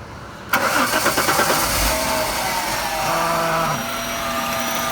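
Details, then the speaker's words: 1996 Jaguar XJ6 starting after an oil change of about 5 quarts. It catches, then makes a rapid metallic rattle for about 1.5 s before settling to idle with a faint hiss. The owner thinks it sounds bearing-like, and it stopped when the hiss stopped; cause unconfirmed. "Hear it? Sound like metal or something. But when it shut off, like the little hissing sound shut off, it stopped."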